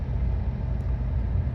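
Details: 1997 Suzuki Sidekick 4WD running on propane, after an O2 sensor replacement and clearing codes: a low, even idle rumble with a steady beat and no ticking or knocking. The check engine light stays off and the idle is smooth and healthy.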